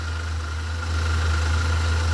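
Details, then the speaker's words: Alternator heard through a screwdriver held to it as a stethoscope: a steady low hum with a faint even whine and ball bearings moving, no grinding. The noise being chased is not from the alternator. Normal alternator bearing. "and it amplifies the sound of what's going on inside I can hear the ball bearings moving around so that sound I'm hearing it's not coming from the alternator"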